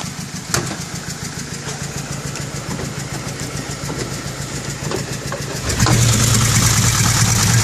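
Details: 2006 BMW E90 320si with N45 engine and 160,000 km, cracked on cylinders one and two: an uneven, lumpy idle with sharp irregular taps, and the note hardens when revved.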